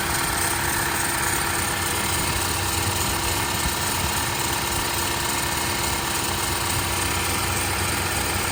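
Steady idle with a loud, harsh clatter and hiss spread across the range, far noisier than a normal engine should sound.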